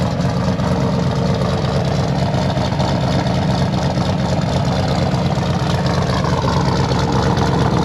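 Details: L98 LS V8 swapped into a Toyota Land Cruiser 80 Series, first start before dyno tune, with an oversized cam: loud, choppy, lumpy idle with deep uneven burble, steady and settled, no knocks or ticks, sounding rowdy like a party; healthy normal idle.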